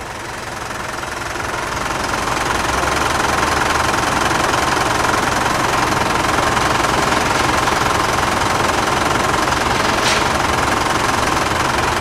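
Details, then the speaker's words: Diesel car engine idling after a fuel additive was pumped in via the fuel filter; idle noise dropped from about 79–82 dB to 74–75 dB. Steady diesel idle with an even, regular clatter about 160 beats a minute, no odd knocks. Normal diesel idle. "Nah tadi udah lihat sendiri kan yang sebelumnya Tadi suaranya di 79 81 82 turun menjadi 74 75 74 75 74 75 nah perbedaan 5 dbel itu signifikan banget banget ya gua bilangin ya karena ya 5 dbel Bro itu sih gede dan lu ketika di dalam mobilnya berasa jauh lebih anteng"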